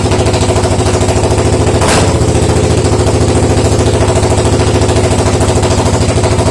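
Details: Suzuki DR750 first start after 10 years not running: steady even single-cylinder thump at idle, about three and a half beats a second, no knocks or misses; engine running healthy.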